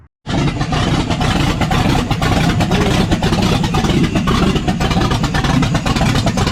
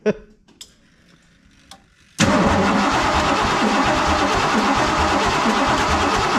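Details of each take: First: Ford F150 with newly built 347 stroker V8 on its first start, no mid pipes fitted; loud, deep, even open-exhaust roar with steady firing and no knocks or misses; healthy but noisy. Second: Ford F150 with freshly built 347 stroker, first-start attempt: starter turns the engine steadily at about three pulses a second but it never catches, with spraying and clicking heard up top; distributor suspected, not confirmed.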